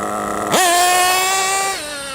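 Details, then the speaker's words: Nitro RC engine after richening the low-speed needle about half a turn: sharp clean rise in revs with a big puff of smoke and wheel spin, settling into a steady high buzz without bogging; healthy take-off, nice tick-over. "That's what it should be like, a nice big puff of smoke, and it should just go. Plenty of wheel spin as well."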